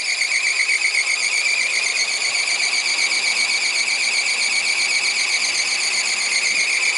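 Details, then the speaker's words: Chevrolet Corsa 2000 first start after injection wiring harness repair: loud continuous high-pitched warbling squeal from the slipping alternator accessory belt over the running engine, belt needs attention. "Gritando a correia. Isso aí depois não resolve. Tem que dar mais uma atenção na correia de acessório aqui, ó. Do alternador."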